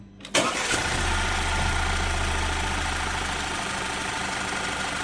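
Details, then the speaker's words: Freshly overhauled VW EA888 engine after long running: cranks, catches, smooth even idle with loose rapid ticking, also heard through a stethoscope rod at a bolt; suspected low oil pressure making camshaft adjuster tick, unconfirmed. "这台发动机也很稳，也不抖动，但是它有死亡哒哒哒的声音。"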